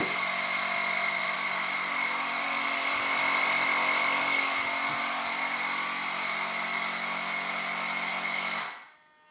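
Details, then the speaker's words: Onboard air compressor of a giant RC F-14 jet during a gear-up cycle: a steady, high-pitched buzz for about eight seconds, then a clean shutoff. Normal compressor running. "We'll do a gear up cycle. Again, you'll hear the compressor turn on."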